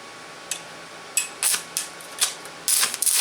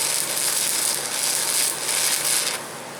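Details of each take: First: VEVOR MMA 200 DC stick welder with the stinger on negative: a few sharp crackles, then a continuous harsh sputtering hiss with irregular pops. Spitting arc from electrode polarity; it sounds smoother with the stinger on positive. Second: The big shop stick welder, running after the polarity was flipped back, for comparison against a small VEVOR MMA 200 DC stick welder. A steady, even crackling sizzle with no pops or sputter gives a smooth, stable arc.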